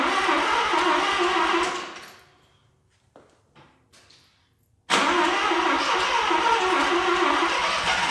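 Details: Mazda RX7 FB rotary, first start after refueling with fresh regular gas, heavy smoke: runs, fades and dies with weak pops, then catches sharply and keeps running; flooded engine stalling and refiring.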